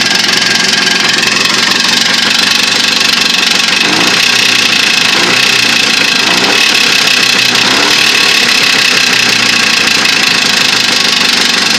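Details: Jawa two-stroke with new piston kit, needle bearings and pins, bored cylinders: loud steady running with a harsh metallic knock buried in the engine clatter; source of the knock unknown.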